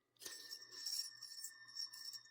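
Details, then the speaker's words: 2010 Ford F-150 V8, pulleys removed at 335,000 miles: loose pulley spun by hand gives a dry, gritty metallic rattle with a thin ringing tone from a worn bearing. It caused noise at cold morning starts. Idler, tensioner pulley and belt replaced. "little worse much worse and this uh this is my king culprit that's what I could hear in the morning"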